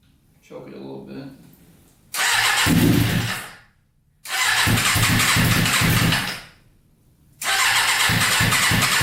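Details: Custom Yamaha Banshee with 600cc sport bike engine swap, not run in a while, no tank fitted, choke on after freeing a leaking carburetor float: engine catches and revs hard in three bursts, each fading to silence; stalling from fuel starvation.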